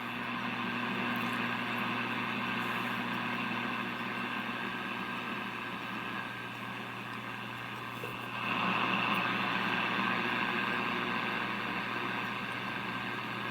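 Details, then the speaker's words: RCA 66X1 tube radio after capacitor replacement, run at reduced 75 V supply drawing 0.12 A, dial lights glowing: steady low hum and hiss from speaker, local station not received; cause undetermined. "I see the there's a glow from the dial lights and the obviously there's noise coming out of the speaker"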